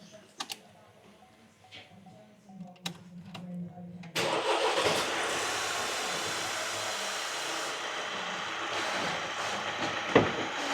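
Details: Vauxhall 1.6 CDTi diesel, first start after timing chain replacement, cranked for minutes to build oil pressure before injectors reconnected: after clicks, cranks, catches promptly and settles into a steady, even idle without knocking; normal start and idle.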